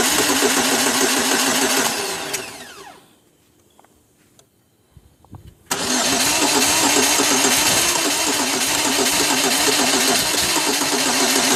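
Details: 2002 Pontiac Grand Am: engine cranks with a steady chug, winds down into silence, then suddenly fires and settles into a fast even run; starts only after about 6–7 tries, cause unknown.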